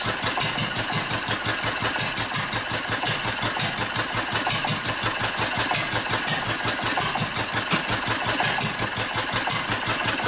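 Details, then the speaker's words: Old Wolseley stationary engine from Birmingham, England, built for sheep-shearing, with its fuel shut off: sharp exhaust pops about once a second with uneven gaps and skipped beats as it starves of fuel and goes hit and miss. "Well, she's starting to starve. Running out of fuel. Poor thing, running out of gas."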